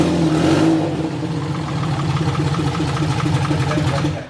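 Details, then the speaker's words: BMW E81 drift car, BMW six-cylinder swap, first start on an untuned RM Primis standalone ECU, gearbox in gear with the driveshaft spinning: the engine catches and stumbles with an uneven, lumpy beat and hesitant revs, running very roughly. "ei kyllä käynyt kaikill >> ja kävi se kaikilla vaan ihan paskasti"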